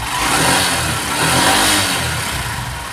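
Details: Honda Livo BS6 fuel-injected motorcycle after repair of a misfiring complaint: engine revs up and eases back smoothly with no stumble or missing; pulls clean and even.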